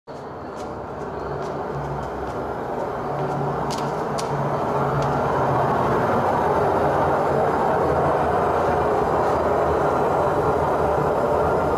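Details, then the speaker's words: Samsung washing machine drum spinning up with loud rough roar; drum play felt by hand from below confirms worn drum bearing, to be replaced. "итак друзья проблема очень легко на самом деле мониторится когда у вас начинается такие шумы или непонятные какие-то биение так далее"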